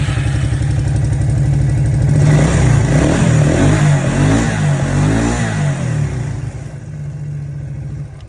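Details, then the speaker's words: 1998 Suzuki King Quad ATV after replacing faulty voltage regulator (charging voltage exceeded 18 V causing sputter and stall): engine revs cleanly and settles evenly with no sputter; repair fixed it. "so no sputtering at all that obviously did the job"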